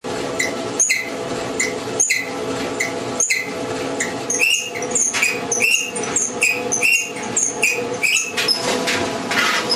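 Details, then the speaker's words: General Electric dryer running: high chirping squeaks about once a second as the drum turns, from a worn front drum bearing and front drum slides. "corriendo Usted tiene que comprobar los rodamientos del tambor"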